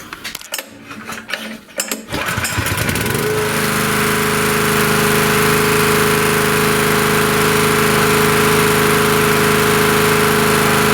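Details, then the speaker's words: Honda EG2200X 2.2 kVA generator, early 1990s or possibly 1980s, ex-aircraft-hangar unit, after draining fuel and fixing a spring: smooth even drone, steady tone, no hunting or misfire; runs sweet, owner thinks carburetor could use a cleaning. "So yeah, it runs pretty sweet actually. But yeah, it could use a carburetor cleaning, I'm sure."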